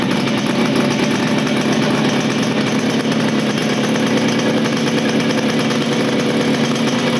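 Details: 1975 Motobécane Motoconfort 125 LT2 two-stroke, first start after restoration following engine failure in late 1990s, new crankshaft and gearbox bearings: steady even idle with crisp ring-a-ding note, no knocks or rattles; normal idle.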